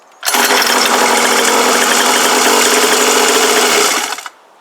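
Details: Cheap kids' motocross bike with a newly fitted lanyard kill switch; small engine buzzes at a steady high rev for about four seconds, then dies abruptly as the kill cord is pulled: clean kill-switch shutdown.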